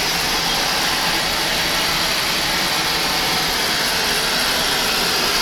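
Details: Burnham boiler with Beckett oil burner and electronic igniter, test-started after filter, screen and nozzle service: constant even flame roar, no surging or pulsing; burning cleanly, very low smoke, normal operation.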